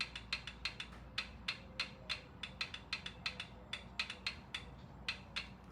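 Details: 1977 Triumph T140V, valve clearances just set (exhaust 0.006 in, intake 0.008 in): crisp light metallic ticks as each rocker is rocked by hand, clean even clicks, clearances correct.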